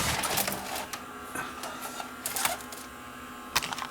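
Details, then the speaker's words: Panasonic PV-4361 VHS VCR, picture shaking and tape not winding back on eject: light uneven ticking and clicking from the capstan motor, attributed to bad solder joints on the capstan motor drive IC; the deck chews tape. "you saw the symptom picture shaking back and forth and when I went to inject in it didn't wide the tape back in and that's the noise that the motor leaks"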